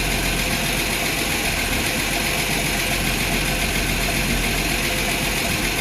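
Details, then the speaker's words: Ford inline-six, first start in a Willys sedan delivery 15 years after install: steady idle with a fast, light, uneven ticking sizzle; noisy lifters suspected, not confirmed, before timing, choke and valve adjustment. "uh it sounds like it's gonna run but uh lifters are kind of noisy kind of scaring me a little bit"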